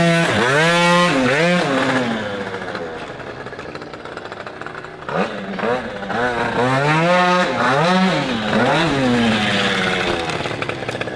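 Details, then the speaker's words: Yamaha Aerox moped, built to be the UK's fastest street-legal moped and just professionally set up by PM Tuning; clean crisp revs climb and fall smoothly through repeated blips with no misfire or rattle. "This Yamaha Aerox is now ready to rock and roll. How crisp does this sound?"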